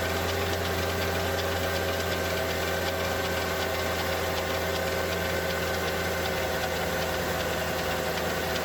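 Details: Mercedes E55 AMG with the M113K engine, cold start: steady idle with a fast, light mechanical tick from the left bank cylinder head. It appeared after switching to 0W40 oil and 98 fuel and fades after 10-15 minutes; owner suspects hydraulic lifters or the timing chain.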